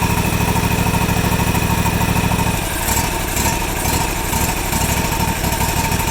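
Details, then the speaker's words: John Deere GT235 mower, air-cooled Kawasaki, 1200 hours: steady pulsing then uneven hunting and surging, replicated by blocking the carburetor pilot circuit; recurring lean surge from plugged pilot (slow-speed) circuit. "but what was happening with this thing was would be it would run good for maybe three months or so and uh and then all of a sudden it would start surging like that like a lean surge"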